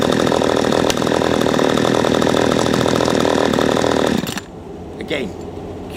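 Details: P1PE P6220C chainsaw, small two-stroke, idle speed screw turned in half a turn after it kept stalling when put down; ticks over with a fast, steady buzz for about four seconds, no hunting or dying; normal idle.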